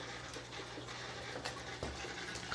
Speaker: the new filter is making a weird noise i hear that it's kind of annoying i don't know why he's doing that